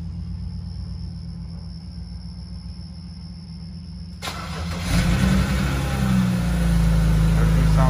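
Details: BMW 335i E90/E92 N54 inline-six, first start after radiator replacement and coolant refill. The starter catches cleanly, a brief rev, then a smooth, steady idle with no knocks or misfires: a normal start and idle.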